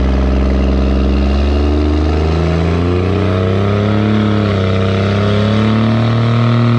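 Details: 2nd-gen Dodge Cummins diesel automatic towing heavy up a steep grade with cable locker: pulls hard, pitch climbing then dropping cleanly at each quick, firm upshift, early torque converter lockup; normal shifting under load.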